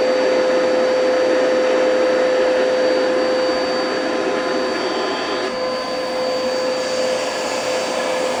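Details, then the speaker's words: Bissell PowerForce Turbo vacuum with dirty canister and burnt-off brush belt: constant high whistle over motor rush, steady throughout; airflow plugged, canister or hose blocked. "that noise is when it plugs up"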